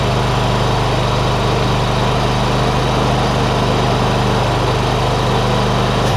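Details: John Deere ZTrak Z915E, Kohler V-twin, sat 2 years; running warm after carb clean fixed a sticky solenoid causing no fuel. Smooth constant drone, oak leaf debris hitting the cooling fan; normal running.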